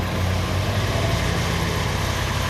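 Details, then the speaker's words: Lexus SC430 after fixing the fuel pump relay, the resistor and the EFI No. 2 fuse: first start, it fires right up into a steady, even, smooth idle with no misses, knocks or ticks; fuel is now delivered. "Moment of truth. First start. Fires right up. Fires right up, guys."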